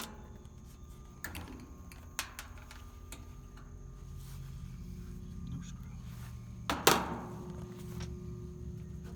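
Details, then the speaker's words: Outdoor AC condenser unit of a no-cool system: low steady hum with a few clunks, motor never spins up; start capacitor found swollen and bad. "Old pain unit. I hear it trying to come on. I think I know what it's going to be."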